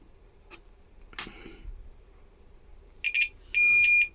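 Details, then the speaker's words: Faulty EPS (electric power steering) module causing hard steering: N-type MOSFET tested, probe clicks then a steady meter beep between gate and source, indicating the MOSFET is shorted. "और अगर मैं इसे gate के दूसरी तरफ रख दूं , तब भी यह बीप की आवाज करता है। यानी कि इसमें शॉर्ट सर्किट हुआ है।"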